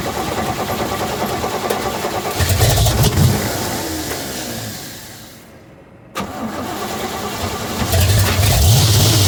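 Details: Big-block Chevrolet C10 V8 cold start after sitting about three weeks in winter: cranks and catches, runs rough and stumbling, nearly dies, fires again and chugs unevenly; cold-start misfire, some water seen around the bottom of the neck.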